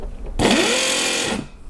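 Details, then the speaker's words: 12 V air compressor that failed after running continuously for a long time, bench-powered at 12 V 10 A: high-pitched motor whine with no pumping, like a bad bearing; motor spins but pump doesn't, owner suspects overheating broke something inside. "As you can probably hear, it definitely doesn't sound like an air compressor and kind of sounds like a bad bearing or something along those lines."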